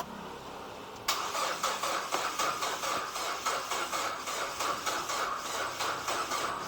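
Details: Nissan Livina X Gear HR15DE (L11) after an engine rebuild, cranked with the fuel pump unplugged to build oil pressure. Labored, slow cranking at about four compression beats a second with no firing. The battery is too weak; it was charged, and the engine started afterwards.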